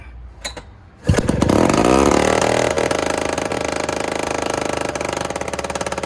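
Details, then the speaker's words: Two-stroke Rockwell engine in an Attex 6x6, newly fitted lightning coil, oil dumped down the cylinder, fires and runs rough and smoky with a fast irregular tapping knock; broken rear motor mounts let the engine rock so the carburetor hits the transmission. "We need to ratchet strap that motor back or something. Yeah. That carbon was tapped the trans. Oh, it's hitting. It's just hoping. The back motor mounts are broken."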